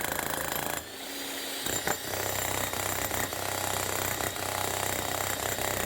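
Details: Bosch GSH 11 E demolition hammer, about 25 years old, after repair with two new O-rings and fresh grease: dense, steady hammer blows after a brief pause, with a strong even rhythm and no misses or rattles; working properly.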